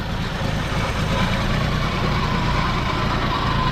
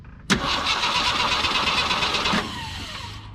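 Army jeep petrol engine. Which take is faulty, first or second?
second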